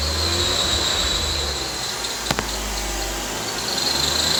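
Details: 2012 BMW 135i N55 revved past 2,000 rpm: a thin high squeal from the engine bay over a hissy engine background, audible from the driver's seat; cause still being diagnosed.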